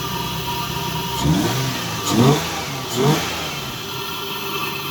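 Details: Lexus GS300, 2JZ-GE, after replacing the leaky ECU capacitors: idle with three quick throttle blips rising and falling cleanly, no misfire. It revs normally and runs better than before.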